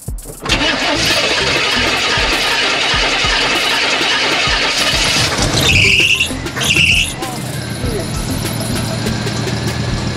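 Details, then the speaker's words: Cheap beater project car, gas gauge not working, ran out of gas; fuel added and filter refilling: starter grinds steadily several seconds without catching. Extended cranking from fuel starvation. "Just a little rough. So yeah, that wasn't our fault. Well, actually, it was our fault. It was just out of gas."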